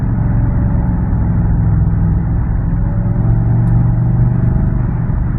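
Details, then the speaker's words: Car driving with a loud, deep, steady rumble and no clear tick. An exhaust leak makes it louder and is blamed for the check-engine light; the engine had earlier shown a tick. "that's the reason why the engine light is on, because Granddaddy's got an exhaust leak."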